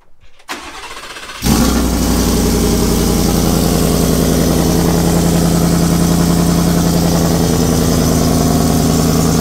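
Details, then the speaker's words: Ford Shelby F150 V8 with newly installed long-tube headers: after crank and start, a loud idle with a sharp, rapid puffing tick at every pulse. It is an exhaust leak at the header flange because the supplied gasket suits the stock exhaust port; the fix is a gasket or welded V-band. "so let's get this truck started um sounds pretty dope besides the exhaust leak"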